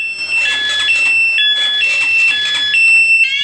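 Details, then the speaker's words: Honda Supra X 125 with an alarm fitted without cutting wires (tapped into pulser and ignition-on wires): the engine is kicked while the alarm is locked, won't start, and the shrill warbling siren sounds in repeated bursts. "kita engkol tidak hidup ya teman-teman Oke jadi kalau posisi dikunci kemudian dicuri orang ya ini e tidak akan bisa hidup Ya kalau posisi dikunci ya oke teman-teman"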